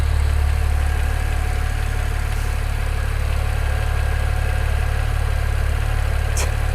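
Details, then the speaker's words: BMW N54 335i with Chinese 17T hybrid turbos and new inlets, first start after the install, idling on a full E85 tune: a faint metallic tick about four times a second. Owner suspects the AC compressor or alternator, maybe a cam bearing; thinks it's probably normal. "Can you hear that? The alternator? It's a slight knock. Sounds like an AC compressor knock. It's a N54."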